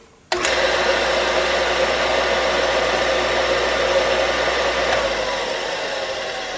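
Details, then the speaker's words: Electric motor for homemade 2x72 inch belt grinder, freshly oiled: kicks on and settles into an even smooth hum with no rumble, knock or scrape; normal motor running. "is a good-sounding motor I mean it really sounds good"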